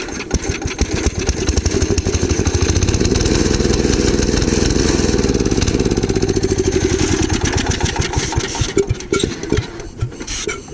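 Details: Gravely Commercial 12 with 34" snow cannon, cold start after a month unused, carb cleaner sprayed into intake: pops and chugs unevenly for seconds then fades; runs briefly on starting spray then dies, owner suspects fuel problem, possibly ice in bowl.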